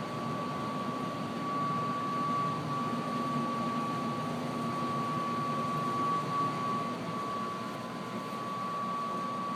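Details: Brand-new Trane XR95 furnace: a steady, thin high-frequency whistle over airy rush, only while the draft inducer motor runs. The motor was already replaced. Owner suspects the PVC vent length and diameter create a flute effect; the contractor calls it normal.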